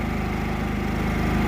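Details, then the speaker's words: New Harbor Freight Predator generator on its first start-up test, a replacement unit after the first one had a problem. It runs with a fast, even thrum of steady pulses at constant speed, with no misses or knocks, and is quiet. "I've had a 3,500 watt generator that wasn't quiet at all. You could hear it a mile away."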